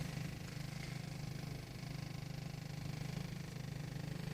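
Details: 1.8 TSI at cold idle, heard only inside the cabin near the passenger side and glovebox, not outside or under the hood: low steady pulsing buzz about twice a second; rattle fades with a little throttle and once warm; no fault codes; source uncertain.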